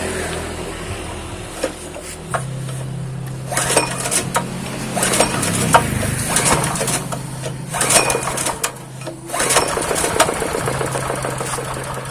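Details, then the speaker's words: Honda GX160 engine seized after years unused, restarted with choke closed and oil primed through the spark plug hole, compression lost: repeated pull-start rasps with brief putts; hard to start, smokes, dies on throttle, jet likely dirty. "Nah, ini sudah hampir hidup ini. Agak susah. Nah, ini sudah bisa hidup, tapi berasap karena pancingan oli dari lubang busi tadi ini."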